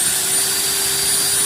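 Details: Maktec MT90 angle grinder, formerly growling and heavy-sounding, after repair with carbon brushes refitted: even high-pitched whir over a steady hum with no rattle or grinding; normal running.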